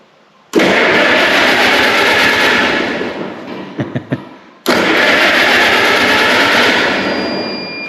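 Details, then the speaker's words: Allis-Chalmers WC tractor cranked out of gear on a cheap jump pack to its single battery cable, fuel level unknown: two strong, steady cranking bursts of several seconds each; the starter engages and turns it properly. "well it cranks over we might as well see if it'll start"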